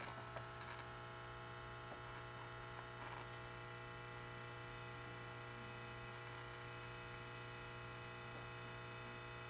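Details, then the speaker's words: Zenith 24MC32 color roundie tube TV on a jig: steady high-pitched squeal over low mains hum from a weak, singing horizontal output tube arcing inside, giving low plate current, low high voltage and a dim picture. "it's singing It's a singing horizontal output tube oh yeah now it's really going listen to its squeal and it's arcing inside"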